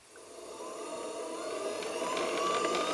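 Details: Cheap Chinese belt-drive pottery wheel (Vevor-type) with aluminum wheel head, sped up by foot pedal, rated up to 320 RPM. Clean whine climbs smoothly with no grinding or knocking: normal motor run.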